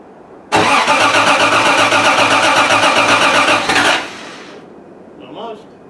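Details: Triumph TR6 started after winter storage, fuel pump primed with the priming lever to refill the carb bowls: about three seconds of steady cranking, then it catches and drops to a quiet idle; normal cold start.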